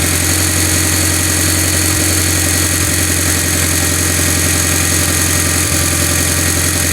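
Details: Mitsubishi Evo X cold start: a fast, steady knocking rattle at idle that fades after about a minute and also knocks under throttle until 5–10 minutes of driving. Cam solenoids, timing chain, guides and tensioner were already replaced; owner suspects cam sprockets.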